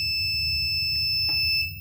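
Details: 1000W pure sine wave transformer inverter with charger, entering settings by press-and-hold to change program 20 (backlight): steady high beep about a second and a half, cut off cleanly; normal key-press confirmation.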